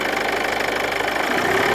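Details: Ford Kuga MK2 180PS held at about 1600 rpm: a light, fast metallic rattle like a sewing machine rides over the engine; cause not yet found.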